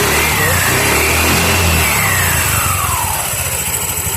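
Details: TVS Jupiter/Zest scooter after clutch assembly overhaul: engine pitch sweeps up smoothly and settles back with no rattle or slip, just slight intake hiss; clutch and variator respond cleanly.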